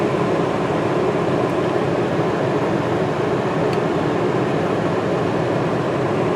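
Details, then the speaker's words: New Duromax XP2000EH dual-fuel inverter generator, after 5-hour break-in, powering a truck camper RV air conditioner on cool: even steady hum, no surging, hunting or stumbling. Normal running under load. "So we're on low cool. High cool. So far so good. So no problems with the AC."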